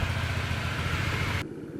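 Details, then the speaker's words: Stock Honda Ruckus scooter built from spare parts with LED headlights, first start: starts on the first turn and putters at a steady, even idle before cutting off; normal idle. "Let's fire it up real quick. Starts over on the first turn."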